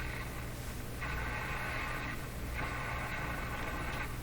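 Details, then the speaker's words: Rogers Majestic 4511 tube radio out of its cabinet, powered up through dim bulbs and then at full power, with unsteady volume: a constant low mains hum under louder bursts; the hum persists and its cause is still unknown. "well there's still a hum there now is the hum much less or is it the same"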